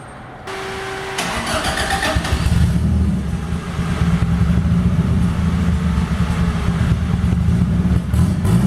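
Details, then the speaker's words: 1998 Toyota Paseo turbo build (Precision 5831e turbo, Haltech ECU, forged internals) on open exhaust: starter churn, then deep loud choppy idle rumble; just the very open exhaust, running fine. "So, you're probably wondering why my car sounds like that. That's where the exhaust is, if you can hear me."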